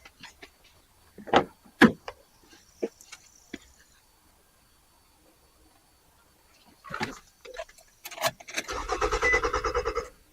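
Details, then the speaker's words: 2003 Nissan Altima 2.5 L, previously no crank no start, after replacing crumbling ground cables and cleaning the battery terminal: short burst of quick, even cranking, much faster than before; starter spins briskly; normal cranking, fix likely. "night and day difference beautiful okay well I'm pretty sure this is going to be a fix so guys uh I'm pretty sure this is gonna be a fix I'm just gonna leave it at that uh I cranked it over it cranks much faster"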